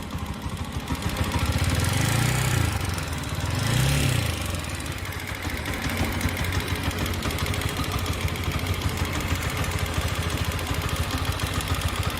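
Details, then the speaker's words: TVS Apache RTR 160 4V, about 7,500 km and roughly 1.5 years old, noise began after a service: single-cylinder idle with a light quick tick about three per second; owner suspects tappet or piston noise. "तो अभी तो फिलहाल मैं आपको bike की side सुनाता हूं कि कैसे साउंड आ रही है चलिए तो यह देखिए फ्रेंड्स यह बाइक है मैं इसको इंस्टॉल करता हूं कि आप यहां नीचे देख सकते हैं आप कि पटकी साउंड आ रही है"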